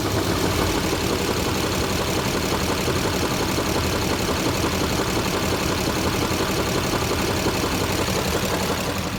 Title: 2006 duramax engine knock